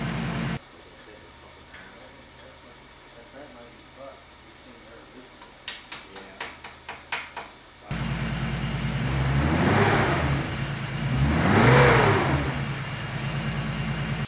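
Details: BMW E36 turbo after an engine-bay fire, with ECU repaired and fire-prevention heat protection fitted: a few clicks, then a clean start, steady idle and smooth rev without stumbling.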